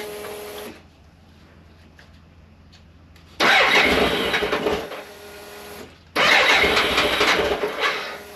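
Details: 1998 BMW K1100LT, about 83,000 miles, after fuel pump replacement and draining dirty, likely water-contaminated fuel tank: quiet idle then two clean strong revs that rise and fall smoothly, no stumble; normal running.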